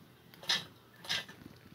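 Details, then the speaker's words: 1996 DT150S fuel pressure regulator bench-tested with a 12 V battery-powered pump, relieving at about 37–38 PSI: two short, sharp hisses about half a second apart over a quiet bench; regulator venting pressure as it should. "see it it releases the fuel pressure right at about 30 between 37 and 38 PSI you can hear it here"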